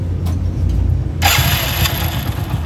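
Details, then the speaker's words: Hero HF Deluxe motorcycle, about 80,000 km, after engine rebuild including crank, freshly rebuilt: engine catches cleanly and settles into steady even idle, no knocking or rattling, like a new bike; normal start and idle. "कि जैसे नई bike account होता है वैसा ही आ रहा है कि कोई भी एक्स्ट्रा सामने नहीं है"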